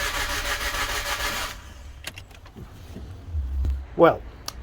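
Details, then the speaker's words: Car after new head gasket fitted, radiator not yet installed, cold day, battery possibly low: starter churns steadily about a second and a half with no firing, then stops; cranks, no start, owner suspects something left unplugged. "clearly something somewhere that I've neglected to plug back in but I don't know what it is"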